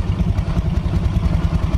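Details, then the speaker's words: Yamaha Mio Soul scooter, rear wheel turning with CVT cover work: low even smooth throb, no grinding; earlier noise traced to crushed rear pulley area and wrong-part belt. "Kebanyakan nah rodanya sudah berputar suaranya lembut"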